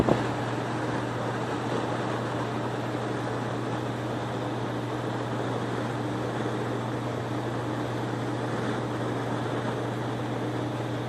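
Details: HVAC air handler started up after replacing the relay that controls the baffle, fitted to cure intermittent cutoff and a thump: steady low hum with an even rush of moving air, no rattles, clicks or surging; running normally.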